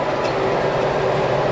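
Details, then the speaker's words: Old New Holland 644 round baler baling hay at the Bison ranch after all chains were replaced: steady even mechanical clatter, no clunks, slapping or squeals; chains and drive running smoothly, much quieter than before. "But man, since I replaced all the chains, that baler runs so much quieter. I can't believe it. That's amazing."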